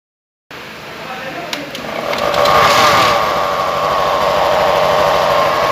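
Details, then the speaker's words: BS6 Honda Activa 6G, ridden about 9–10 km per the owner (compared against one at about 41 km): steady whine rising with speed, a droning generator-like noise. Suspected abnormal gearbox noise, cause not confirmed. "यह गाड़ी कम और पपिया ज्यादा लग रही है इतना song दे रही है और ऐसा लग रहा है कि हम गाड़ी नहीं चला कर कोई जनरेटर चला रहे हैं"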